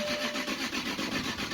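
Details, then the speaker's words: 2000 Jaguar VP SC project car that sat long enough for its fuel to smell like lacquer: even starter cranking at about five pulses a second, consistent, no firing or catch; cranks but no start. "so we'll get nothing right now but at least it does crank over and the cranking sounds very very consistent so"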